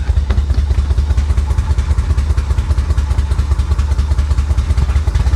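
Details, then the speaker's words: 1985 Chevy Corvette swamp rescue, fuel pump in its own tank with fresh fuel: deep, lumpy idle stumbling two or three times a second; rough running misfire, owner suspects dirty fuel injectors. "oh wow that doesn't sound healthy that doesn't sound healthy at"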